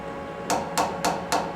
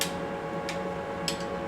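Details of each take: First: Knock test on a one-inch boring bar at long overhang, four-to-one stick-out: five sharp metallic taps ringing at mid-high pitch; higher pitch signals chatter risk. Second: Lathe boring bar at short overhang, tapped: a few sharp taps give a short dull low ring with no lingering high tone; bar rigid, no chatter.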